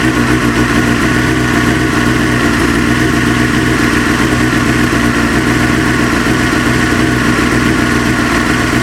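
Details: Motorcycle 954 idling, warming up: steady idle with fast, even tapping over the exhaust beat; knock fades as engine warms to 40–50° and slightly with clutch pulled in; source unclear.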